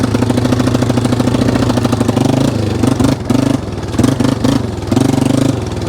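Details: 1995 Yamaha Wolverine 350 single-cylinder, in for no-start after a backfire: part-throttle chug falters and drops out then picks up, stumbling at steady half throttle; idle and full rev fine; rich flooding suspected, carb needle to be lowered.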